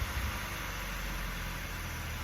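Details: Mazda 3 with a P258B code, after fitting a new vacuum pump: a low, even idle hum with no ticking, knocking or hunting. The warning light has gone off and it idles normally.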